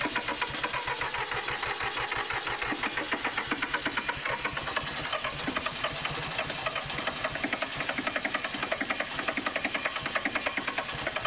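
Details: Massey Ferguson 1010 tractor diesel on a cold start during radiator replacement, air cleaner full of dust: fast clatter with uneven, lumpy firing and a shaky beat; rough running, cause unclear.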